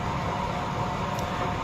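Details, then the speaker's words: Newly assembled lathe test run, belt tension not yet adjusted: even, steady hum with a soft high hiss and no knocks or rattles; the spindle runs smooth and quiet at high speed. "Cuma ini benar-benar adem suaranya. Enggak ada suara berisik sama sekali."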